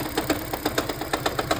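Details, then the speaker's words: 2013 Lexus CT200H hybrid at idle after water pump replacement, radiator fan not working: light even tick-rattle about eight per second, loudest while hybrid battery charges; cause uncertain, owner suspects head gasket, untested. "Okay. So, this is what happens when it charges the battery. This noise comes out."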